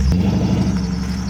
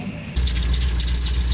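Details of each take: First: Deep, even, steady rumble with no ticks or knocks from a cheaply bought car running healthy before a parking-lot drive; it sounds good. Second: Steady high-pitched squeal over an idling V8, from the front of the engine; source still unknown despite a new belt; temp gauge reads 190 and the cap is missing some rubber.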